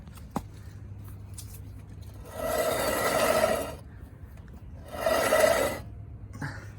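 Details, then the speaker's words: 1996 Chevy Suburban 8-lug GMT400, right front wheel: harsh grinding, scraping bursts with rough metallic ring as wheel turns, worse when braking; owner suspected bearing, worn CV axle found as cause in four-wheel drive. "so we definitely got some bearing or something listen to this noise"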